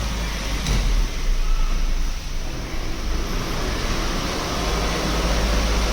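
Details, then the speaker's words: Maruti WagonR on a jack, front wheel spinning in gear, low rough rumble from a worn wheel bearing, to be replaced; the car also knocks when turning, from the drive shaft. "देख सकते इस इस tyre के wheel में ना wheel bearing में आवाज है"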